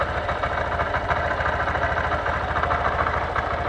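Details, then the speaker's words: 2023 Honda CB125F single-cylinder, warming up at idle before an oil change. The idle holds an even, steady beat with no rattle or ticking and sounds really smooth. Normal idle. "it sounds really smooth too"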